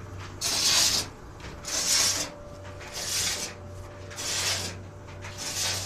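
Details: White Westinghouse clothes dryer running with an empty drum before drum bearing repairs; scraping rub about fifty times a minute, once each turn, over a steady motor hum; rubbing noise, owner thinks he knows the cause.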